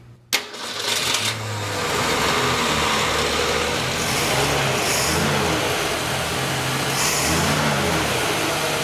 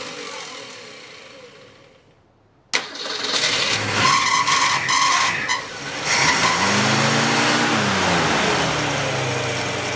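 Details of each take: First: Straight-six engine with an Autolite 1100 carburetor, running during timing adjustment with timing advanced toward 12: it settles into a steady run with a couple of smooth throttle blips and no misses or popping; judged to sound pretty good. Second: Straight-six engine with an Autolite 1100 carburetor that has rough starts, seems to flood and may be leaking a little gas: it catches, surges, then holds a steady raised idle that never drops back, so the fast idle is not releasing.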